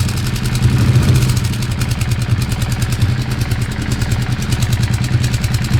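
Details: Weird engine sound: steady idle with a fast, uneven clatter of about three ticks a second, source unclear.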